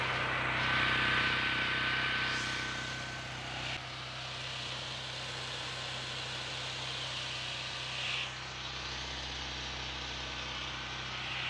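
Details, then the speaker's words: Generac GP6500 generator with COsense removed and the two black wires jumped: loud, steady, even drone at constant speed, no misses, surges or stumbles; running properly. "it is so loud sitting right here man"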